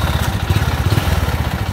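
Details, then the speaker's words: Honda Wave RS100 single-cylinder motorcycle, electric starter not working, idling: sharp, rapid knock keeping pace with each crank turn; connecting rod / crankshaft knock, engine to be torn down and rebuilt. "Kia kìa, đó là tiếng gõ cần gạt, anh em ạ. Đúng vậy, tiếng gõ trục khuỷu."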